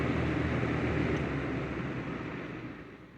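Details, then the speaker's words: Baby Lakewood box fan model C-122X after cord splice, cleaning and oiling, on low: steady airy whoosh with soft low motor hum, no rattles or scraping, fading as it winds down. Motor quiet, grilles intact, healthy. "the grilles are intact motor's quiet i'm happy with it"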